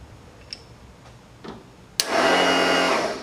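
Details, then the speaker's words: Small Ford lawn tractor, battery fully charged, no click from key, solenoid jumped: starter spins freely with a high whir and no cranking load; Bendix gear apparently not engaging flywheel, ignition or safety switch also suspected. "so I have a problem in the ignition switch or one of the safety switches and I mean doing that she should have turned over so it sounds like the Bendix gear on the starter is not popping out either so might have to pull the starter out clean that out"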